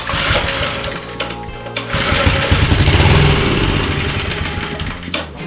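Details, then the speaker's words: Small two-stroke lawn edger being revived, choke on after carb cleaner spray: sputters and surges unevenly, never settling into a steady beat, with music over it; rough running, fuel starvation suspected, mixture screw to be checked. "check for gas cuz it sounds like it's not getting enough gas."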